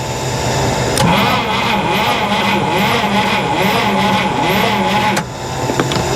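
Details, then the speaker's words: 1961 Buick Electra 401 Nailhead parked over 40 years, lifters very sticky: slow, labored, uneven dragging crank for about four seconds that never catches; weak battery suspected. Slow cranking. "I think I just need to get a better battery. Um, those lifters are very sticky."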